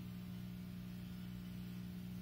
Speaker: of course the small air conditioner is picking this exact moment to run it's what do you call a condensate pump so that's what that buzzing noise is if you can hear it now